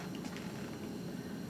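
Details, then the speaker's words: Bunsen burner just lit with the air inlet still closed: a soft, uneven low flutter with no steady roar. The flame is weak and lazy, could blow out, and needs adjusting to a strong blue flame. "now lit the Bunsen Burner, but this is a very poor Bunsen Burner flame. We need to adjust this flame so that we have a good strong flame that will not blow out if people are walking by."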